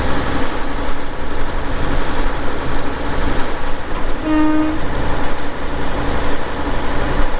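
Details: 2002 Volvo G736VHP motor grader, Cummins diesel, about 6,691 hours (hour meter not working): steady, even low diesel rumble at idle with no knocks or misses, one brief tone midway; healthy idle.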